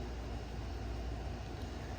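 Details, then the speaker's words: New replacement refrigerator running: steady, even low hum with no rattles, knocks or rumbling surges, unlike the loud old fridge; normal operation. "Um now, I mean, the fridge has a noise. refrigerators make noise, but it's not a rumbling holy crap kind of noise."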